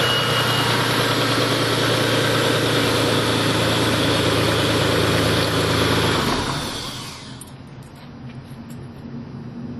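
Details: Mitsubishi 3000GT/Stealth twin-turbo V6, 2006, the day after spinning the #4 rod bearing: idle with a mild, regular rod knock under the running note before shutting off, last start before teardown and full rebuild.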